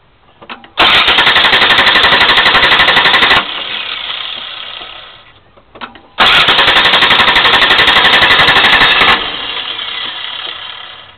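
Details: 1989 Chrysler New Yorker Landau 3.0L V6 with high mileage that consumes oil. The cylinder 6 plug wire was pulled while tracing smoke from around that cylinder. Two cranking bursts of about three seconds each churn roughly four times a second, and the engine never catches: a hard start.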